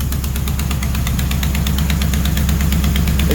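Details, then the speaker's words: Mopar 400 big block for a 1964 Dodge Polara 500, run on a stand after first fire-up with a new mini starter. A sharp, steady tick rides the lumpy idle in time with the firing pulses. It is a header leak, because a stud sits in the header tube and the flange can't seal fully. "I bet I know why it's leaking, too. That stud is right in the header tube. See right here? So, it can't get fully sealed."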